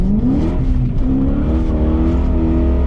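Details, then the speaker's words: BMW E34 540i, M60B40 V8, after fixing throttle body gasket vacuum leak that caused lambda codes and limp mode: engine note climbs smoothly and strongly, no hesitation or surging; healthy, pulling well. "that this is a happy motor. Like this thing, I mean, I drifted a corner in complete dry, you know?"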